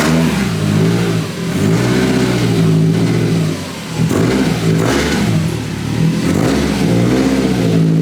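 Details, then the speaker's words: Subaru STI, rattle present for a while, TBW plate and rear heat shields ruled out: engine revs up and down with a tinny buzz riding the exhaust note; points to a loose, cracked up-pipe heat shield. "Alright guys, so I've been having an exhaust rattle on my, obviously, exhaust for a little while now. You may have been able to hear it in a few videos."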